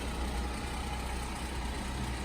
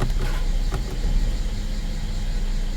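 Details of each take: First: 2016 Mercedes GLE 350 rear-drive (W166) idling like at traffic lights, heavy low buzz with faint rattle from a failed, oil-leaking engine mount under the exhaust manifold, before replacement with a cheap aftermarket mount. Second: 2016 Mercedes GLE 350 rear-drive (W166): low, steady petrol idle in gear at 600 rpm, even and free of rattle or knocking; normal idle in gear.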